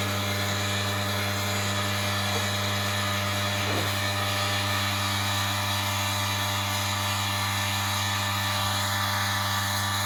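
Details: Wega commercial espresso machine, newly fitted 2940W heater element, switch in position one: steady, even mains-frequency pump buzz with no surging or rattling as the boiler fills from the jug; normal pump operation.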